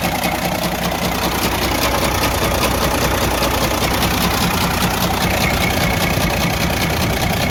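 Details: Freightliner Cascadia DD15 diesel at idle with a sharp, steady loud knock about 2.5 per second; major internal damage, engine considered gone and needing repair/overhaul.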